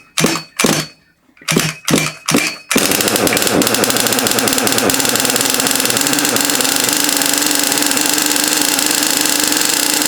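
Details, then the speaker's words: Small two-stroke engine, pull-started for a first run; a few tugs, then a fast, steady buzzing tick-over that sits slightly too high, idle needs turning down, but it runs and sounds healthy. "that tick over is slightly too high, but it runs, which is good."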